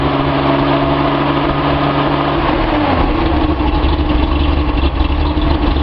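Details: Datsun 280Z engine on a test stand, lukewarm at about 100 degrees, which previously chugged and idled poorly; distributor trigger signal polarity possibly now correct: a steady low idle that dips slightly, then settles into an even, smooth beat. Normal idle.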